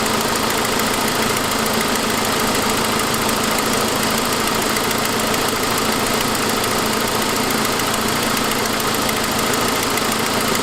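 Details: 2006 Saab 9-5 at steady idle: fast, sharp ticking about three per second, lifter-like, actually an exhaust manifold leak from the broken forwardmost exhaust stud (fairly common); began after a noisier turbo noise.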